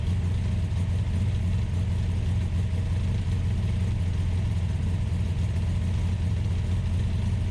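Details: Ultima GTR with an American V8, started on a jumper pack, cold and warming up: steady, deep, even drone held a touch fast with no dips; high idle while warming up.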